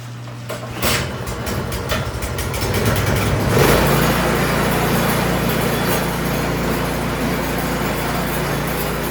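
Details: Craftsman snowblower single-cylinder engine after tune-up and carburetor cleaning, under load while checking the forward and reverse gears and auger engagement: picks up and holds a steady, even beat with no misses or knocks. Normal running.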